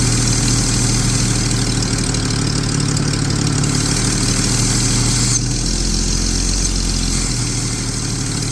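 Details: 1999 Jeep 4.0 with vacuum gauge test; steady low idle with faint uneven hiss and slight hunting, possible vacuum leak; rough idle.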